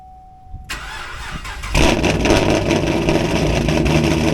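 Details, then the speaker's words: Camaro chasing a misfire on day three with no trouble codes; it cranks, catches, then revs spike by themselves at idle with no throttle input; cause unknown; knocking suspected to be an exhaust leak. "right did you guys heard that rev Spike that wasn't me like it just did it by itself so I don't know what's causing it to do that but it's just spiking revs by itself"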